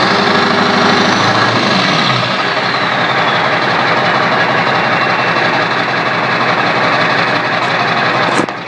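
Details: Diesel with a P9106 turbo, turbo not hooked up to the intake, 4-inch straight pipe: a high whistle rises then holds steady over a deep even rumble; loud but healthy turbo spool, normal whine.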